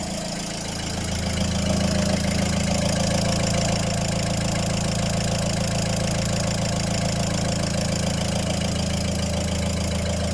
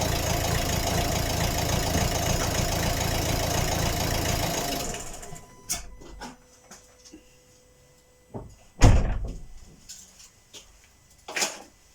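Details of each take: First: Volvo diesel after replacing all four injectors with used ones due to heavy clatter: settles into steady even clatter, regular rhythm, no misfire, much quieter than before; normal idle after repair. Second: Volvo diesel at cold idle with a loud, harsh knock and smoke; owner blames the injectors, suspects one or two are bad, and plans to replace all four with used units.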